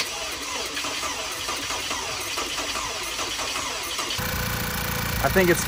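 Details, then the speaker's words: 2011 Volkswagen Tiguan first start after engine reinstalled with fresh oil and coolant: brief crank, catches and settles into steady even idle, no knocks or misses, warmed up and quiet but smoking a little; normal start and idle. "warmed up and it's idling now so it sounds pretty quiet guys it's running but it's smoking a little bit"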